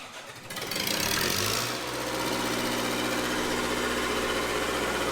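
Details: Red-D-Arc D300K 3+3 diesel welder generator, Kubota V1902 four-cylinder diesel, after junkyard restoration: cranks briefly, catches within a second and settles into a steady, even run with no knocks or misses; normal start and run.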